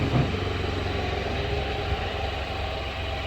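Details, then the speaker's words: 2017 Can-Am Spyder RT-Limited after a heavy wash, camshaft position sensor unplugged: steady, even idle with a low rumble and no misses or stumble; it runs fine with the sensor disconnected, only setting a code and the engine light. "I'm still amazed that that thing runs perfectly [Music] fine without that sensor hooked"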